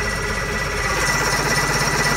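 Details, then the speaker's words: 1995 Evinrude 130 HP outboard (E130TXADA), safety switch in, spark present; fast even starter chatter spinning over without catching; cranks but won't start, owner traced issues to the carburetors. "would start but this one not start so we're gonna do simple diag here we have no start"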